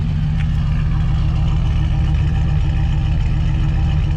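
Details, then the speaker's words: LS V8 swapped into a square-body truck, at first start after running a while: warm at 165 degrees, 30 psi oil pressure, good air-fuel. Deep, smooth, even burble near 850 rpm with no ticks or stumbles. Normal idle. "Air fuel looks killer. It's idling nice and smooth, right about 850 RPMs."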